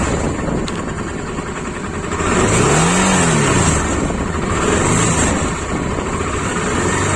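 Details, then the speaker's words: Honda Africa Twin RD07 at idle after tightening a part and restarting: steady twin beat with a loosely regular light ticking over the exhaust; engine noise persists, source unidentified. "Ah ouais, c'était ça. Je vais réessayer, je vais faire un essai. Je vais serrer ça. Et je vais redémarrer voir si ça... Il y a toujours le bruit."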